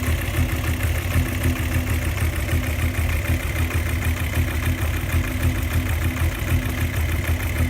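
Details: VW Jetta VR6 2.8, noise persists after new plug wires and spark plugs, engine runs but with little power: idle has a loose regular beat about once a second over a rough rumble; noise and power loss, cause unknown.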